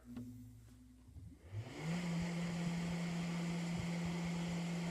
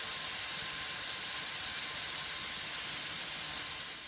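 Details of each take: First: CPAP machine after 3D-printed blower fan repair, fan not yet balanced: spins up over about two seconds to a steady low whine held at speed; whine slight, machine working well. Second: CPAP machine blower running after replacing a cracked impeller with a 3D-printed one, fan not yet balanced; smooth airy rush with a faint, steady high whine holding pitch, spinning freely and working well.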